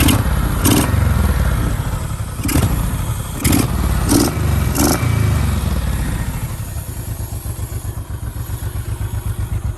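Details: 2007 Honda VTX 1800R3 V-twin after sitting a while, fresh oil: a few throttle blips, then an even, loping idle with no knocks or rattles; runs normally.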